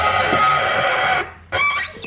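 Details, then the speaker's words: Nissan R33 Skyline drift car, clutch pedal worked by hand: a sharp, high-pitched squeal like a dying goose from inside the car, suspected at the pedal spring or pin; a separate squeak comes from outside, possibly the slave. "This one here, the one that sounds like a dying goose, yeah, that one's coming from inside the car."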